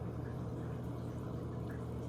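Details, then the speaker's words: Fluval FX6 canister filter after cleaning and servicing, just refilled: a quiet, steady motor hum with soft gurgling from trapped air bubbles; normal, and the buzzing is gone. "yeah sounds as quiet as the other one you see a little bit of water I mean air bubble trickling"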